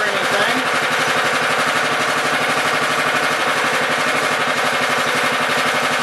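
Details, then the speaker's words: Honda FR600 5.5 hp tiller, unknown year, sat 2.5 weeks, started on choke in neutral: starts right up, steady even fast single-cylinder putter, no misses or knocks; runs healthy though it normally needs half choke when tilling. "see how it starts started right up it's a honda it doesn't seem to burn any low or"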